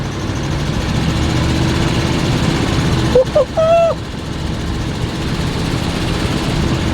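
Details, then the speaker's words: 1976 GMC Vandura 3500 motorhome pulling up a hill, after new plugs and a cleaned distributor and rotor contacts, fuel system untouched: deep, steady drone that holds firm with no bogging or popping. The engine pulls normally under load. "We're pulling up a hill here now. It just did not want to labor in the slightest going up any type of hill. Even backing itself off the trailer."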